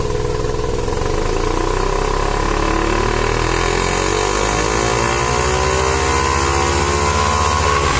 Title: Rexy Savanna Rx7 Sa22C 13B misfiring under boost.. what seems to be the problem?